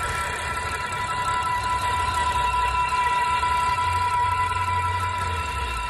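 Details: BMW petrol engine (M54/N52 breather video): a thin, steady high-pitched whine rides above an even engine hum and holds constant. The source of the engine whine is unclear.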